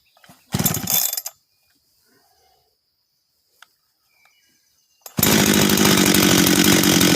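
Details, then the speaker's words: Husqvarna 385 chainsaw, first start after rebuild and assembly: short pull, then it catches and holds a steady, even two-stroke buzz with no stumbling; starts and restarts easily, good throttle response and idle, chain brake works; normal running. "starts restarts easy throttle response is good idle's good"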